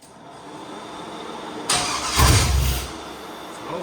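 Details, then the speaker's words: Chevy 5.3L LS V8 swapped into a YJ/CJ Jeep: the starter cranks in a short burst but the engine never fires; it is a crank-no-start from the VATS anti-theft lockout, and the wrong computer is suspected. "All right, in theory, the VATS wasn't off."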